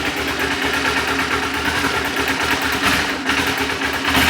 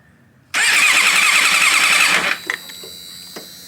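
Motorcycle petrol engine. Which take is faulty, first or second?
first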